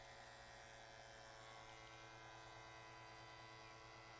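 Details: Vacuum pump pulling down an HVAC system through gauge hoses with valves opened fully, digital gauges with built-in micron gauge reading about -6 heading toward 30 inHg and microns; quiet steady motor hum, even whir, no knocking or surging, normal.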